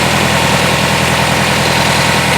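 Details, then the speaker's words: Circa-2000 Toyota Camry four-cylinder, 5-speed manual, demolition derby car: loud, uneven, lumpy idle with shaking; pulling each plug lead drops each cylinder, so no dead cylinder; dirty coolant, owner suspects thermostat, possibly head. "I pulled all the plugs and it seems that you can hear each plug dying as I pull them out so that's not the issue with the dead cylinder"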